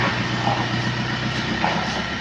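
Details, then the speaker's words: Nissan Panther diesel after a rebuild with NPR liners and original piston rings, around a test drive: an even, rhythmic diesel chatter with no knocks or rattles, described as smooth. Normal running. "Halus suaranya guys."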